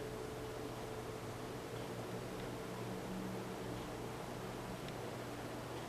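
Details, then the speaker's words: Westinghouse Contempra Trio ceiling fan on full speed of three: steady airy rush of blades with faint even motor hum, no ticking or wobble; running normally. "a moderate hyung really really nothing that would annoy you the blades actually slicing through the air making more noise but it throws off a lot of wind and it's going at a good clip"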